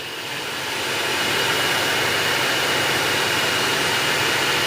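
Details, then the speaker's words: Ventilated seat cushion fan in Hyundai Aura, set to speed 3: steady airy rush with thin constant whistle, no ticking or rubbing; normal fan noise. "तो यह जो ventilated seat है इन सीटों में जो fan लगे हैं उनकी नॉइस इस तरह से हम यहां आती है"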